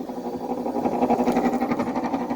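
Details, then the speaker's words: Fan motor noise on a 5,000 BTU Fedders window air conditioner with mechanical controls, likely early 2000s, long stored in a barn and very dirty. Still flinging dirt, giving a rough pulsing hum with a warble about five times a second. The fan motor badly needed oiling. "that fan is starting to sound really bad. Here, let's put it on high. It's still flinging dirt."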